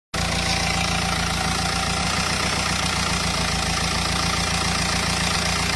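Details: Renault Espace 2.0 dCi diesel at steady idle: busy, clattery top-end noise over a low rumble. Abnormal engine noise, cause not stated.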